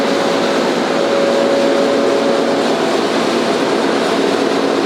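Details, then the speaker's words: Staiger H15-30 30HP horizontal grinder with newly installed 15-foot forward/reverse conveyor running normally: very quiet steady hiss and whir with a faint constant tone, no knocks or grinding; slight rattle comes from the safety door. "It's a very quiet running machine. The little bit of a rattle that you hear is from the safety door over"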